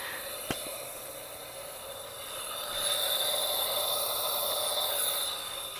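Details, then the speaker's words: Used engine during a leak-down test; a steady airy hiss with no engine running, air heard escaping the exhaust port because the exhaust cam is holding that valve slightly open. Engine must be rotated before testing. "it's not I can actually hear air coming out of the exhaust port which means that this I lied to you guys and this exhaust cam is open a little bit"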